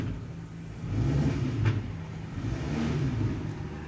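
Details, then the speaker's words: 2011 Nissan Altima with CVT, auction car, on a test drive: engine flares up and holds high revs with no drop from a shift, as if stuck in first gear; transmission not shifting through the gears, likely slipping. "Alright, so unfortunately the car won't shift out through the gears. It's like it's stuck in first gear, and you can hear when I rev it up."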